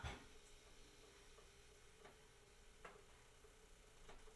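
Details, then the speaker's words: T-Fal OptiGrill starting to heat up: quiet, irregular crackling ticks roughly every second over a faint steady hum as the cold metal plates warm, which is normal. "So as you can hear, the grill is actually starting to heat up. You will hear some crackling noises. That's completely normal. These plates are metal, but they are cold. So when they start heating up, they do make a bit of noise."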